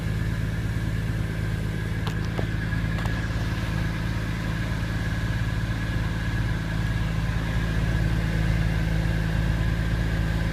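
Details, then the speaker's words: 2002 Porsche 911 996 C4S flat-six, cold start near zero degrees after IMS roller bearing replacement plus gaskets and valves: even steady idle, smooth low hum, no knocking, ticking or hunting; only an O2 sensor fault; normal idle. "everything's in runs good i did have a check engine light i got that checked and it was an o2 sensor so other than that o2 sensor there's no problems everything running great"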